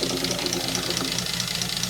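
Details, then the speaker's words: British Leyland Princess 2200 automatic, cold start after fresh oil and fuel: a quick, even crackle of about eight snaps a second over the cold idle. Cause unclear, possibly ignition or exhaust. Crackling when cold. "this crackling listen to it i got a slide sound like let's have it but well it's a cold engine though"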